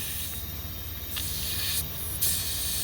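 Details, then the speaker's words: Pickup with boost leak, intake pressurized to about 20 PSI with homemade regulated tester: sharp high air hiss coming and going from a leaking hose end; boost leak, fixed by clipping the hose end. "you got a lot of pressure leaking out of there so we're gonna have to we'll just clip the end of that hose off there we'll fix that"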